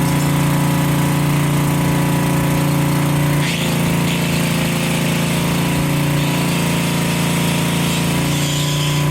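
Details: Generac generator that had no spark and would not start, now running after repair, started without choke. A loud, steady drone holding one pitch with a brief dip near four seconds that recovers: normal, even running.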